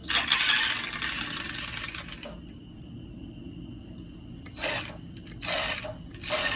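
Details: Arrma Senton electric RC car with the drive shaft disconnected to isolate the noise: harsh grinding bursts from the rear drivetrain on throttle, thin motor whine between; spur gear bearings already replaced, brake engages after letting off throttle.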